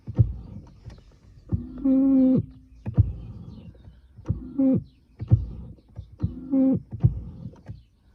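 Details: BMW (E60/E90/E70-type) electric steering column adjuster squeaks when moved up and down by joystick: three bursts of creaky tonal squeaking with clicks; fixed by spraying WD-40 on the column's bearings and screws behind the cover.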